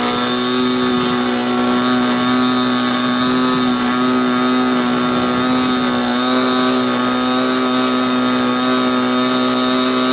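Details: Model glow engine on a restrained SIG Kadet LT-40 RC aircraft during break-in: high buzzing note, fairly steady but slightly labouring and not picking up; mixture too rich.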